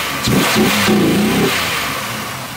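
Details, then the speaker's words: Pontiac Aztek AWD: quick blip rises smoothly and settles, clean and even with no knock or misfire; engine runs well. "probably making a solid 65 to the wheels so it runs pretty good though"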